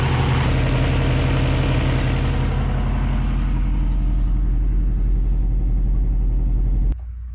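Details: 1989 Subaru Brumby 1800 4WD after fitting a new Flokool RAD268 radiator and refilling coolant: smooth, even low idle drone with a steady beat for several seconds before switching off; sounds healthy.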